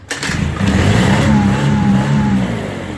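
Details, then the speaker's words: On-demand 6.5 kW gas Kohler genset, sat about 10 years, started by a heater's call for power: brief crank then catches cleanly, settling into a steady even hum; healthy start, runs flawless per owner. "When you ask for power, it's an on-demand generator. So when you ask for power, like this switch, I've got this little heater turned in, and it calls for power, it turns on."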